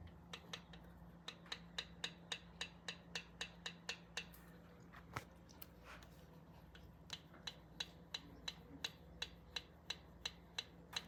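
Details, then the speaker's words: 1971 Triumph T120, rocker clearances just set to 2 and 4 thou, listening to the clicks: light, crisp rocker ticks at an even two to three per second over a quiet hum; clearances sound correctly set. "So I've got a nice 2 and 4."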